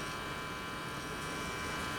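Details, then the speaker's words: Philco 53-702 tube radio after replacing last two capacitors (including Y2 safety cap), on Variac through dim bulb at about 100 V: steady buzzing hum under low hiss through the speaker; hum not reduced as hoped. "Radio's making noise. I was hoping that hum is a little bit less, but it's not where I want it to be."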